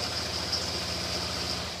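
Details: Rochester two-barrel carburettor with electric choke tested on a running engine. A steady, even drone holds firm as load is applied, with no hesitation, stumble or misfire; normal running under load, pulling strong.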